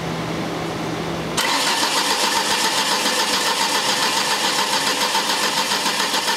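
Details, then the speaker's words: 2003 Ford Escort ZX2 2.0 with VRS crank sensor: starter cranks steadily, about three and a half turns a second, nothing fires; good cam pulse but no crank signal, no start from failed crank sensor. "okay see a good cam pulse so we have a cam signal and no crank definitely needs a crank sensor"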